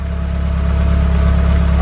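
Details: Turbo engine after fixing exhaust and boost leaks, first start with fuel trims reset: smooth, even idle, steady low hum, no puffing or ticking from the manifold; exhaust sealed; normal idle.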